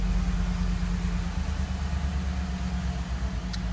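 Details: Ford F150 5.0L V8 (2010 per description, title says 2013) starting up after an oil change with premium full synthetic oil: even, steady low rumble with no ticks, knocks or misses, a smooth healthy idle.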